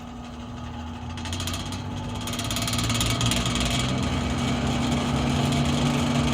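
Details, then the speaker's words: Vintage Manning Bowman model 3016 box fan on full speed: it winds up, then settles into a fast, fairly even rattle about four per second, noisy and shifting itself around. Owner suspects the motor bearings were reassembled wrong; not confirmed. "but on full speed this thing uh rattles quite a bit makes a lot of noise and kind of moves itself around so i'll show you that"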